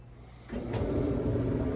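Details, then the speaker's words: Samsung dryer running after lint cleared from the blower fan that caused loud vibrating and rattling; even, steady hum and drum rumble with no rattle or vibration; normal running after repair. "Oh yeah. That sounds a lot better. As you can see, everything's turning and running like it should. And our noise is gone because we don't have that lint throwing off the fan while it's trying to spin."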